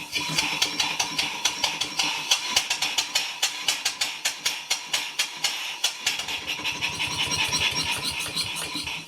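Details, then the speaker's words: Engine after crosshead modification, under load: crisp even exhaust beats about four a second, steady with no knock or clatter; runs nicely, though the slack eccentric was noted. "But apart from that, it's running really nice. Load it up. Yeah, it's nice now with a bit of load on it."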